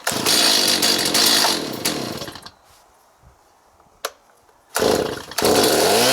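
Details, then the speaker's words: Stihl MS290 chainsaw tested outdoors after fuel line replacement, with no fuel leaks. It fires up, revs high, drops back to a steady idle and revs cleanly again; normal running. "so at the end of any repair I'd like to take the equipment outside just start it up and make sure everything is okay"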